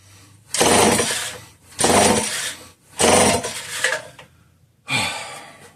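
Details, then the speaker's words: Homelite 150 chainsaw: four rope pulls with scraping and clatter and no catch, though it popped briefly a couple of times. Fuel pours out the other side, and the owner suspects a bad crank seal. It has compression and spark but won't start. "That was a little uneventful, but we heard it pop off briefly a couple times. So, we know we know it's got enough compression to fire."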